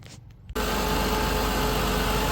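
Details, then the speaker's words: Mazda Tribute after replacing all six ignition coils: fires instantly and holds a steady even idle with no stumble or miss; the new coils appear to have fixed it. "so far it's looking like the new coils fixed it."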